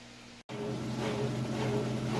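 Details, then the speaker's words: Kenmore top-load washer on final spin, lid held open: steady, even hum of the fast-spinning drum with the drain pump whirring alongside, no knocking or scraping; normal spin. "we're on to that final spin cycle it's running nice and fast in there again I can show you the pump is running as well that's what that noise is"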